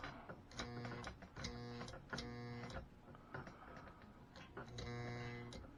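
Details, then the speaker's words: Pre-1957 all-metal American Flyer S scale locomotive with dirty wheels, after electronics cleaner sprayed into the motor and tender: low buzz switching on and off in bursts, no running between; motor not turning, owner suspects worn brushes. "and i can see the stuff moving in there so i'm wondering if uh we're gonna have uh motor thing going on like maybe the brushes aren't good anymore or something"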